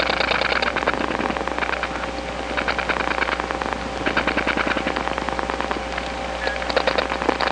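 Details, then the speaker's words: Faint rapid clicking in bursts over a hissy line, heard by pressing an ear to the receiver after dialing two digits on an Atlanta step-by-step line (1976-1981 analog network): other subscribers' dial pulses, strong enough to leak between trunks. "this is the sound of other subscribers s dialing away it's being Amplified onto the trunks because this is a step-by-step environment and the pulses that go along these trunks are so strong that they do leak from one trunk to [Applause] another"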